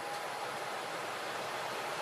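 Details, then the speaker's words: Home heat-and-AC furnace blower restarting after the owner's DIY repair (the AC had stopped working). Once power is restored and the door switch is taped down, the control board lights blink and the motor runs: a steady, even air rush with no hum, rattle or scraping. Normal. "There we go. I hear it. Motor's working."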